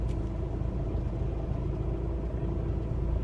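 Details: 2006 VW Jetta TDI with DSG, about 7,000 km after a new mass flywheel, idling in neutral then put in gear with the handbrake on. A coarse, uneven low rattle rides on the diesel rumble. Cause: a failed alternator pulley clutch, first assumed to be the clutch.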